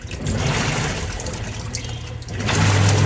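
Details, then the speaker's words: LG semi-automatic washing machine after gearbox replacement, which had been making loud noise or not rotating; water sloshing over a steady low motor hum, no knocking, no leaks. Wash drive now rotates strongly and sounds healthy. "അയ്യോ, നല്ല ഉഷാറായി ദമ്മിൽ തന്നെ washing machine കറങ്ങുന്നുണ്ട് കേട്ടോ."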